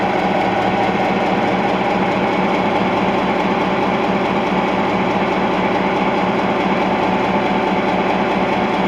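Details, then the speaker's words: EMD 16-567C two-stroke diesel in GP9 locomotive NKP 514, newly installed block, at normal idle: a deep, steady, smooth chug at a slow even beat. "Alright, listen to this, folks. The EMD 567 Sia idle. Listen to that beaut."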